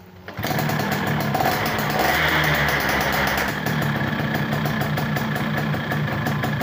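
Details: 2005 Yamaha F1ZR two-stroke after greasing the starter gear, tested before the left cover is refitted: fires quickly and holds a steady, crisp idle with no harsh rattle. The engine sounds healthy.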